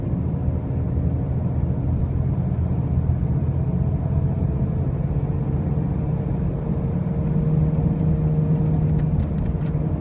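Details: 2005 Pontiac Grand Prix with brand new wheel bearings and new tires: a deep, constant droning rumble under road noise while driving, not pulsing or changing; a loud noise whose source is not pinned down.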